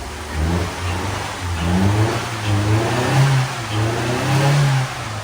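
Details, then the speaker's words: Mazda Demio engine revving and holding with an uneven stumbling misfire after distributor work; owner suspects the distributor is a bit wet and plans to run it to dry off. "Oh, she's missing, I think. Is it? Oh, yeah. She's a little bit missy."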